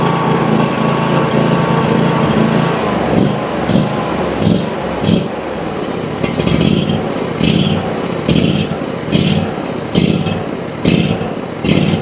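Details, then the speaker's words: Ferris IS3000Z mower, 27 hp commercial Briggs & Stratton V-twin, low power, on fresh ethanol-free fuel with choke applied: loping unevenly, surging and sagging about once a second; evened out on choke, pointing to a likely carburetor issue; poor fuel color and flow noted. "I was actually able to get it to even out there with the choke, whereas before I wasn't able to. That's pointing me towards a likely carburetor issue."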